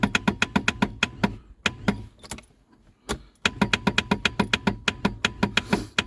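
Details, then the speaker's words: Reliant Rialto pickup on its first start attempt in a decade: rapid starter clicks, about five a second, with no cranking. Only an orange light is on; the owner suspects the inertia starter head is seized and not reaching the flywheel. "We seem to have a very weak starter. And nothing's working in the car."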